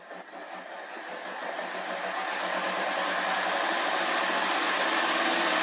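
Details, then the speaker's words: Electric conversion with NetGain industrial controller, 36 V pack, in first gear at 30–50 A: even whir swelling with speed and faint beat about four per second; owner suspects motor and transmission misaligned, not centered. "that noise inside there sounds like something's not lined up very well to me"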